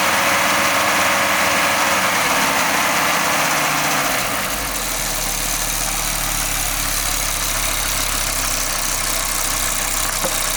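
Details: Audi 20V turbo petrol engine idling with an odd, fairly regular pulsing noise from the exhaust area. The cause is unknown; the turbo was already removed and overhauled and was not the problem.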